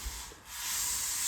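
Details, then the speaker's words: Combat robot test drive: a harsh hissing scrape rises and holds as it drives, because the new low wedge drags along the floor, low enough to get under floor tape. "can really hear it scraping on the floor. It's low enough that it's actually like getting under this tape over here."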